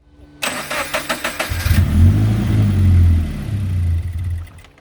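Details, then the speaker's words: Crash-damaged Scion FR-S, first start attempt during rebuild, coolant topped with water: starter cranks with rapid even beats, engine briefly catches and rumbles, then stumbles and dies. Crank, no start; owner suspects something unplugged, too much air or no fuel. "nope all right it's not running so it looks like it's missing something so let's go ahead and start checking if there's anything unplugged it wants to run but it's either getting too much air or no fuel could be a number thing"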